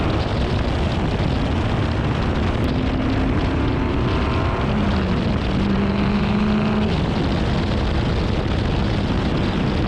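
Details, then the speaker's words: Car after misfire fix with new spark plugs, coils reinstalled and one new coil, driving: smooth steady engine drone under road noise, no stumble or popping; runs good now, normal. "it actually ended up sorting out all the issues so it runs good now"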